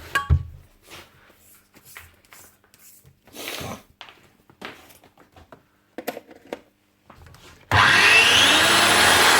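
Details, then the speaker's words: Makita GA9040S angle grinder after replacing the disintegrated top armature bearing and washing debris from the gear head: the motor spins up to a steady, even high whine with no grinding or rattle. "up and running again"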